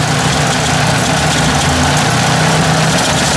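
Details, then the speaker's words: Ford 800 petrol tractor idling after an oil fill: uneven, lumpy beat with faint irregular stumbles; owner suspects the carburetor, which is icing up, needs cleaning and notes it may run better gravity fed; rough running, cause unconfirmed. "maybe it sounds like it's backfire not backfiring but you know it's got a bit of a something going on there"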